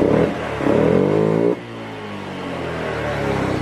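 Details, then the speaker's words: Honda Beat FI scooter after fixing stumbling and adjusting TPS: engine revs high, then drops cleanly on throttle release and settles to a steady idle without stalling; normal return to idle. "dia enggak langsung mati masih posisi langsam eh Jadi kayak gitu ya"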